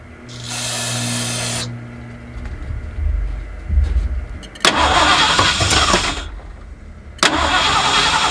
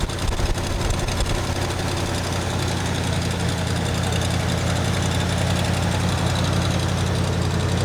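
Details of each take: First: 1979 Ford F150 with modified 351 V8, long abandoned, first start attempts after a shot of brake clean: cranks and catches briefly, runs rough and smoky for a few seconds, then dies; accelerator pump not moving, owner suspects clogged carburetor or fuel pump causing fuel starvation. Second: 1979 Ford F-150 with modified 351 V8, long abandoned, after bolting on new aftermarket carburetor: lights right off and settles into steady low even idle with no stumbling; small fuel filter leak noted.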